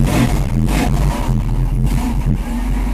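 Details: Mercedes with repaired fuel distributor (3 of 8 cylinders had no fuel, glue removed, diaphragm replaced) after richening the mixture: heavy low rumble swells and settles into a steady run; engine starts and keeps running.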